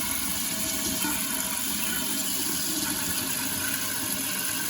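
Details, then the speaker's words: Running toilet that refills in short spurts by itself (phantom flushing), before repair. A constant hiss of water trickling into the tank without stopping; suspected worn flapper leaking into the bowl. "I promised you a toilet fix. We've got a running toilet here."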